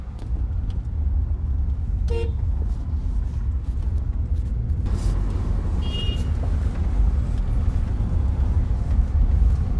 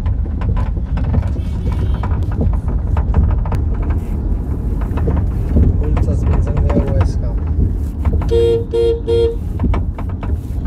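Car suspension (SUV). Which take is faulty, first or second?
second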